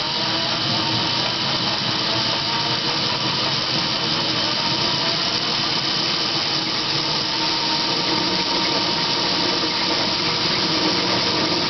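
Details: Dodge Daytona electric conversion with a NetGain WarP 9 motor, car on jack stands, revved to about 500–1000 rpm in neutral with and without clutch, then first gear: gritty metal-on-metal grinding and growl over the motor whir. Cause uncertain, suspected inside the motor.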